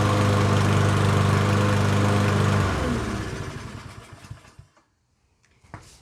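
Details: Yardworks self-propelled mower, 173cc engine, with temporarily rigged brake handle and cable; runs smooth and even for a few seconds, then shuts off cleanly; normal running.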